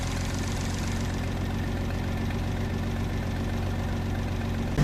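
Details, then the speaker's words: 1966 Dodge Dart V8 after a new camshaft and a refitted harmonic damper, possibly still cold: smooth, deep, steady but slow heavy idle with no misses, needing a foot on the gas; idle speed set too low. "sounds good but the idle's too low I've got to keep my foot on the gas if I do this it might be just cuz it's cold but I can feel it's like idling too slow"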